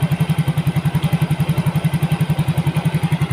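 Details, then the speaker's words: Yamaha Mio GT injected scooter, earlier hard-starting and stalling at idle, now with new injector, CO trim 7%, O2 sensor 0.49 V, idle control 19.0%, 1300 rpm. Even, steady single-cylinder putter, no stumbles or dropouts; job finished, normal idle. "Nah, jadi saya anggap selesai ya motor ini. Jadi responnya sudah enak, motornya stasionernya tidak matian, hidupnya pun enak juga ya."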